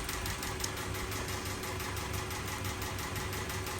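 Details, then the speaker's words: 2012 Honda City with factory CNG, shaking and sluggish on gas, no error codes, before gas ECU replacement: uneven idle with a ticking, stumbling pulse; rough idle from a faulty CNG gas control box. "คันนี้เป็นHondaCityจากอ่างทองนะฮะอาการรถมีอาการสั่นนะพาเข้าสู่แจ้งว่ากล่องอECUเสียกับหม้อส้มเสีย"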